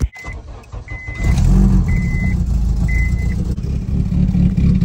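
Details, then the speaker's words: K20-swapped car after replacing EP3 headers that had a big front exhaust leak, heard from the rear, then revved: steady deep even rumble with no puffing or ticking; exhaust now sounds sealed and quiet. "doesn't sound bad back here but I feel like I can almost hear something up here so let's see let's give it a REV oh yeah it's nice and quiet now"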